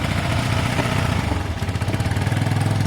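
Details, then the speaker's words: Motorcycle not run for about two years, cold, idling on choke: steady low even thump with a regular beat, no rattles or stumbling. Normal healthy cold idle. "I think it sounds really healthy I wish I both history so I remember the chokes on in a minute you'll be able to turn the choke off"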